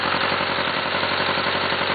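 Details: First-generation oil-cooled Suzuki GSX-R four-cylinder: fast, even metallic knocking locked to engine speed over the idle; the engine had hydrolocked and bent the cylinder 1 connecting rod.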